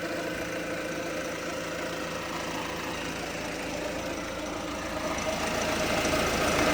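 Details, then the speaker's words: 2007 Peugeot Expert 1.6 HDi diesel van, 180K, injectors all leaking (seal kit bought), coolant leak: light regular ticking about four per second over steady idle, firming slightly near end; likely leaking injector seals. "See the injectors? They're leaking. I bought a little seal kit for them."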